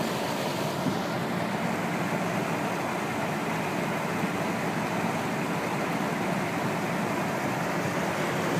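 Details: Rex Air Controls window fan with new 1/4 hp 2-speed Emerson motor replacing a Westinghouse motor with worn sleeve bearings, spherical bearings shimmed with rubber strips, belt-driven, running on high: constant even air rush and hum, no rubbing or squeal; normal.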